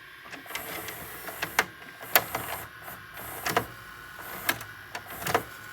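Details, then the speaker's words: Sylvania DV220SL8 DVD/VCR combo: irregular clicks and short motor whirs as the deck hunts but never shifts into rewind or forward, then shuts off and eats the tape. A dirty mode switch is the typical cause. "that's all it does it does play but let's see if rewind works I'm going hit the rewind and nope no rewind no nothing"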